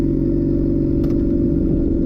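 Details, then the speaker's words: 2007 Honda CBR600RR, rebuilt after a crash, fresh coolant flush and oil: loud, steady, raspy engine drone with little muffling, because the exhaust runs without its muffler inserts, still awaited. "Very loud in the morning when I cold started. I don't ride this bike in the morning at all. I ride my other bike because this thing is just too loud."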